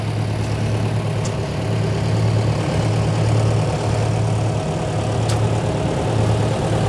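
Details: 1908 Hart-Parr 30-60 tractor started on a crisp August morning: slow, heavy, uneven firing beats with a lumpy low thump; rough running from a flooded cylinder and retarded spark.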